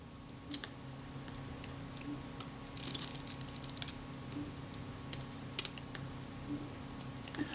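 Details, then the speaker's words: Kodak Retina Reflex (type 025) camera full of sand and grit, film advance faulty from one broken spring: sharp irregular clicks and a ratchety snap as the advance suddenly works intermittently and a part pops up. "now the film Advance has suddenly started to work that's very interesting cuz it certainly didn't before there you hear that that was the sound of this popping up"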